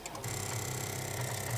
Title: Sound Of Car Engine Couldn't Start from Flat or Dead Battery